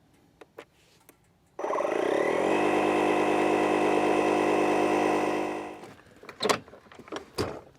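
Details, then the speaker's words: DeWalt 20V MAX DCC020IB cordless inflator on an 18 psi low-pressure tire: the motor kicks in and holds a steady, even hum for about four seconds. The compressor runs slower for low-pressure tires; normal. "Now if you have a keen ear, you'll notice since these tires only take up to 18 pounds, I've let a couple pounds out, you'll hear that the compressor actually runs slower for these low pressure tires."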